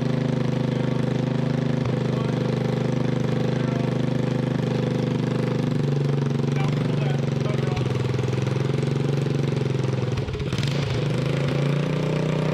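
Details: Freshly rebuilt 1988 Honda TRX200SX single-cylinder engine, out of frame, bored .020 over, new crank bearings and seals, JB-Welded stator cover; fast steady thump with even beat, no knock or clatter: normal running.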